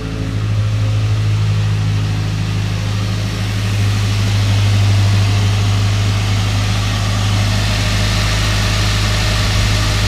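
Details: 2007 Ford Ranger at 160,000 miles, just after replacing the ignition coil pack and spark plug wires: steady, even low rumble with a smooth, consistent beat and no misses or knocks; idles evenly and sounds healthy.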